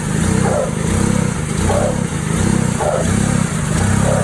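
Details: Cheap Mercedes-Benz coupe as it sounded before purchase, with engine problems. Uneven, lumpy idle stumbling about every second and surging, like a misfire, cause unconfirmed; rough running misfire.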